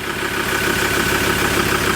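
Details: Ford Ranger diesel after transmission repair: even diesel clatter at steady idle, no misses, knocks or surging; running fine, normal idle, though a glow plug code and cold-start missing are still to be checked.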